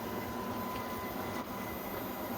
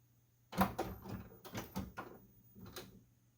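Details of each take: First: Epson WF-7720 printer powering on after a month out of service and replacement of the jammed waste ink unit (Close Ink Cover error); steady mechanical whirring, no knocks or grinding. Likely its normal startup cleaning cycle. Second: Epson WF-7720 printer powering on after a month out of service and replacement of the jammed waste ink unit (Close Ink Cover error); irregular gritty clicks and crunches from the mechanism. Crunchy mechanism noise on startup.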